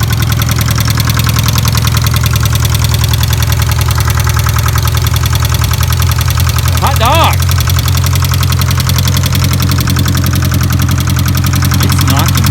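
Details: 1989 Ford Probe GT parts car with 1990 nose, first start attempt: loud steady idle with a coarse repeating knock about two and a half per second; engine knock at idle, origin unknown.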